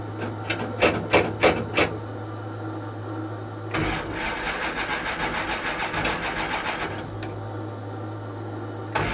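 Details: 1969 Plymouth Barracuda 440 V8 with electric fan and water pump on: steady cranking with no firing, no fuel pressure; owner suspects low or no fuel, or a stuck carburetor float.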